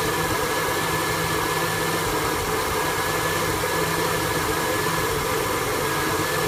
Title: 1974 f100 efi swap rough idle